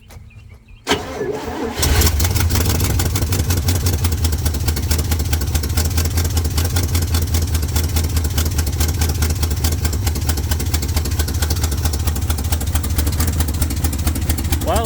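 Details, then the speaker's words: COE truck after reinstalling the gas tank and fuel system, carbureted engine: after a short crank it catches and settles into a loud, steady, even idle with no misses. It needed more vacuum to pull fuel; the accelerator pump is suspected faulty, as it stalls later. "like that's solid needed a little bit more vacuum to pull the fuel down in there it's loud i'm sure you can hear that"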